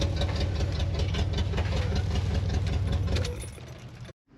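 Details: HammerHead 250cc go-kart, started after long storage with a charged battery: steady, even low idle pulsing about two and a half beats per second, then shut off; runs smoothly, normal idle.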